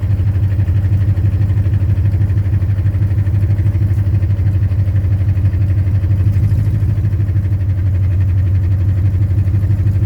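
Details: 2010 Ford Mustang GT V8 at idle; regular deep, even knock about three per second, owner told it could be rod knock or lifter tick, not confirmed.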